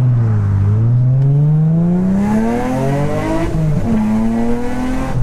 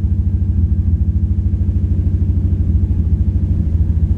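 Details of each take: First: Infiniti G35 after two faulty ignition coils replaced to cure random multiple misfire; clean, even revs climbing and falling smoothly with no stumble or popping, pulling evenly through the range; normal revving. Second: Infiniti G35 at idle: lumpy, uneven idle with a steady stumble about three times a second in the exhaust beat; random multiple misfire code, two ignition coils found bad.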